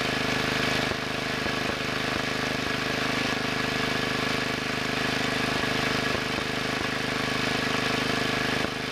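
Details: Two-engine Wheel Horse tractor, rear engine: after turning the carburetor main mixture screw a little more than half a turn, it runs smooth and even at a steady speed. The earlier puffing sound is gone and the engine now sounds properly tuned.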